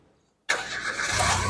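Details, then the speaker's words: 2011 Nissan March 1.2 XS automatic, about 55,000 km: short crank, then the engine catches at once and settles into a steady run; a quick, healthy start, no sign of weak battery or starter trouble. "pada saat kita Nyalakan mobil pastikan bahwa nyalanya itu jereng karena apa kalau dia nyalanya tersendar Berarti ada kemungkinan permasalahannya bisa jadi di akinya sudah soak atau bisa jadi dinamo starternya bermasalah"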